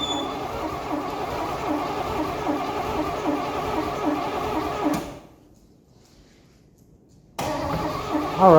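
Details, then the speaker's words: 1982 Pontiac Firebird Trans Am 305 V8, unrun for 12 years, rebuilt with a bent crank: the starter spins it over at an even cranking beat with no catching. Fuel starvation. "It doesn't want to stay running."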